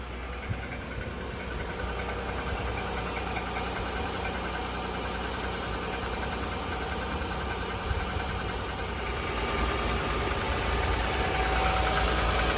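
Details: 2007 Honda Pilot V6, 149k miles, OEM timing belt, related parts and serpentine belt replaced at 146k: a light, steady ticking (about four per second) at idle only on a very cold start, gone within 10 minutes as the engine warms. Cause unknown.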